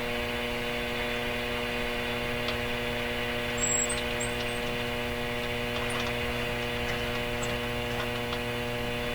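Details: RCA Victor 911KG console radio, scanning shortwave bands (around 9 MHz): constant low buzzing mains hum with stacked tones and no station received; cause not yet found.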